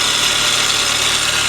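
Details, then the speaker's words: 2003 Mini Cooper S, supercharged, 6-speed manual, 181,000 miles, at idle. Loud hissy, high-pitched whine from the front of the engine. Suspected worn pulley or valve train, unconfirmed. "she's got good looking tires that sound a little loud up here though don't you i don't know what do you think that is it sounds like we got a pulley or something going out maybe valve train"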